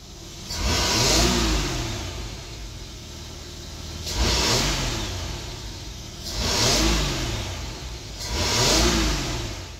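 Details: Boat with an OMC 4.3 and Cobra outdrive that had lost power and couldn't pass 3000 rpm, after wire-brushing the corroded distributor cap and rotor: four clean rev blips climbing and falling smoothly without stumbling; pulls freely.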